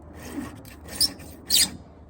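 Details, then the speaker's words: Filing the rakers on a ported Stihl MS500i chainsaw chain: rasping strokes with sharp high-pitched squeals when the file is drawn straight across instead of at 45 degrees, the file chattering. "well bucket how come you don't squeak when you do your rakers well because I don't go across like this straight Watch What Happens see"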